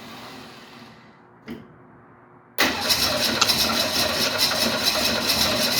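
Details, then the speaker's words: 1968 Mustang no-start: a brief tap, then steady fast starter churning that never catches; owner says it won't keep running because it isn't getting fuel from the tank. "this won't keep running just not getting any fuel from the tank so at this point"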